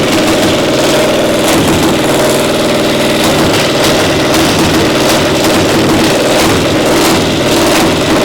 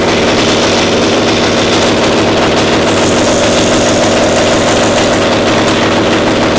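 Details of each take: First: Pony (starting) motor of a Caterpillar Diesel 70 under restoration, rope-pull started: uneven, stumbling beat with dropped firings, one cylinder hitting intermittently despite a good blue spark; spark plug suspected, misfire from faulty magneto cap. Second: Caterpillar Diesel 70 two-cylinder pony starting motor after the cap was swapped: loud, fast, steady bark with an even beat and no misses, firing cleanly on both cylinders; runs perfect.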